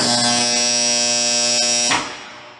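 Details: Contactor coil energized with dirt placed between the fixed and moving cores: loud, harsh electric buzz rich in high tones, cutting off abruptly, as the armature fails to seat; noise disappears once the dirt is removed.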